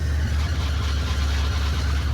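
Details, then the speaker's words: Neglected Rolls-Royce, started on a jump pack with stale fuel, 32° outside: loud, deep, throbbing idle rumble with a raw unmuffled edge from a blown exhaust; engine seems unhappy, possibly needing oil. "Oh, what a what a sweet sound of a blown exhaust. Oh, and this car is so loud."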